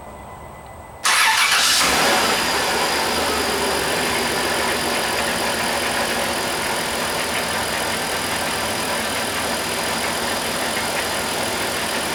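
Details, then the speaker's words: Dodge Caravan-type van 3.3 L V6, close to 200,000 miles, first start after cylinder head gasket replacement, cold: brief crank, catches at once, smooth steady idle with no misfire; lifters faintly audible, owner wonders if oil needs to pump through after pushrod tubes removed. Normal start and idle. "Well, I gotta tell you, that started a whole lot better than what I anticipated. It's running good."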